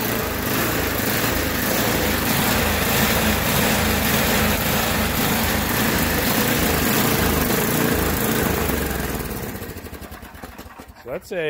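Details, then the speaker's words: Yard Machines by MTD 8 hp 26-inch snowblower with Tecumseh engine, fresh gas, surging hard at idle enough to rock the wheels; runs fine under load in snow; carburetor jet/adjustment screw suspected. "it's surging hard enough to like move the wheels back and forth"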